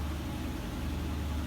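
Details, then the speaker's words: Amana washer after repair, running full spin: steady low even hum with no howl or growl; loud spin noise was caused by a part that fell off letting the pulley rub, reinstalled with Loctite. "all right so she's running wide open on the uh vinyl spin no noise this is actually the second load I've ran through it um first one went fine"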